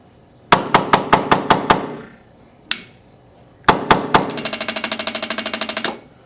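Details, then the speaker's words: Tippmann X7 Phenom paintball marker with a trigger-pin firing issue: it fires in mechanical mode but not reliably in electronic mode. Sharp shots with ringing tails, then faster lighter clicks from the e-grip electronics cycling without firing the gun every time. "now you can hear the clicking um in the egrip so we know that the electronics are working it's just not firing the gun every single time"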